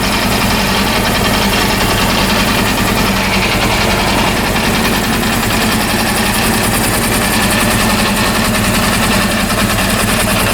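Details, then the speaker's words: Rebuilt Honda CB400 engine running, on the third attempt: busy, clattery mechanical rattle over a steady idle with no clear rhythm; owner finds the noise strange and not good, cause unknown. "ah very strange this is very strange situation i don't know i don't know what is the reason this noise i think this noise is natural not good"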